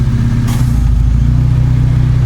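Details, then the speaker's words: Proton Saga/Iswara after fitting new AC idle-up vacuum actuator, adjusting it and replacing a dirty air filter: deep, even idle holding steady speed with no dips or hunting; RPM stable, no problem. "RPM nampak stable. Takde masalah."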